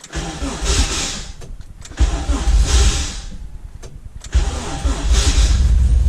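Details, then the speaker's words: 85 engine, cold at a weekly winter warm-up, with a worn-out starter: three sluggish cranking bursts with pauses and no catch. Slow cranking from a weak starter, hard cold start. "it's kind of cold 85 is not the greatest to start and my starters trash if you can hear that"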